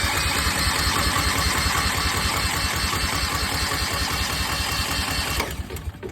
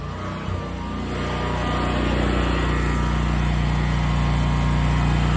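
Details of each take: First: New Westinghouse 20,000 W portable generator on its first start-up. The starter churns evenly for about five seconds and the engine never catches; no fuel is reaching it because the fuel shut-off valve is closed. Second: Westinghouse 20,000 W portable generator powering a whole house: steady, even drone with a smooth low hum holding speed under load, no misses or surging; running healthy.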